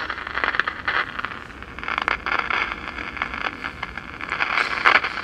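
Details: 1947 Philco 46-1226 console radio-phonograph with AM and shortwave, being revived. Irregular scratchy crackles and pops over thin hiss from an intermittent fault in the signal path. Suspected shorting paper capacitors or bad tubes, not confirmed.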